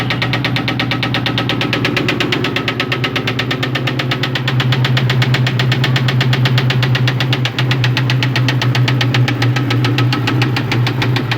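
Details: 2001 Ford Mustang GT V8 idling with a deep, steady knock about three per second through the low rumble; owner calls it rod knock.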